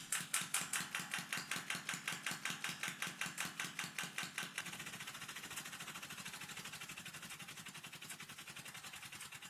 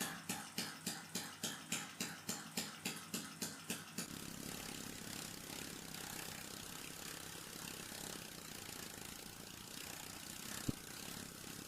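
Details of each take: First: Small air engine run on water-tank pressure (about 0.4 bar): sharp, regular clatter of a few clicks a second, caused by huge crankshaft play letting the piston shift when unsupported by the cylinder; later fixed with a small shim. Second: Small air engine driven by pressure from a water tank in the attic, remounted on a solid stand with piston play shimmed out. It started smoothly, tank pressure stabilised at 0.45 bar within about 50 seconds, and it ran with even puffing settling into a smooth steady rush, no rattle.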